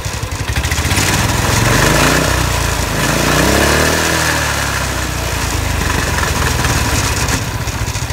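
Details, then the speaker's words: Winch Skate iWinch small engine revved: revs rise and fall smoothly, but a fast metallic chatter rides on top throughout from a loose part and the loose hitch rattling. "There's this thing rattles a little bit. That's why it's most of that noise, and the hitch thing rattling around too, and it's loose, so that's why it's so noisy."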